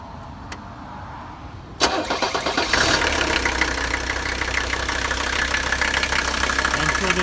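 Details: 1985 Mercedes 300D, OM617 turbo diesel five-cylinder, possibly about 147,000 miles, oil leak (owner suspects turbo line) and no vacuum: several seconds of cranking, then it catches and settles into an even diesel clatter at idle; starts and runs fine.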